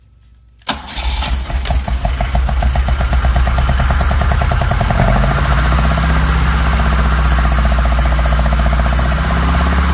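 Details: 1972 BMW 2002, 2.0L inline-four rebuilt with Ireland Engineering parts, second start: catches and settles to idle with a dry, rapid rapping; owner doesn't think it's rod knock, cause unknown, also weeping antifreeze.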